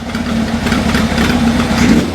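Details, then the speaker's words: GS motorcycle, first start, on tick-over: uneven, loping, stumbling idle, one cylinder not fueling at idle though it picks up with rpm; owner suspects sticky carb after long storage. "yeah it's just on tick over it's not fueling we'll have to sort that out"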